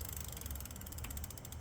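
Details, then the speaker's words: Lectric XP e-bike derailleur clicking: quick, even ratcheting tick keeping pace with the cranks as the chain catches the gear; owner suspects a bent or twisted derailleur during adjustment, cause not confirmed. "It's I think I got a bent derailleur. There's something"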